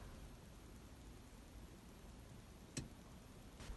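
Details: Nissan March parked and empty, fixed camera inside the cabin: one sharp isolated bang, recurring about every 30–60 minutes regardless of location; first thought to be the rear window or body flexing with temperature, source still unknown.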